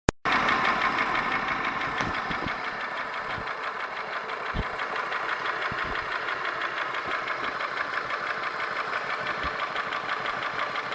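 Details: Holden Commodore VY V6 (Series II Buick 3800 / Ecotec 3.8) at idle: light, fairly even tick about three per second over the hum. Owner asks whether it is lifter/valvetrain noise or bottom end (rod, bearing); unconfirmed.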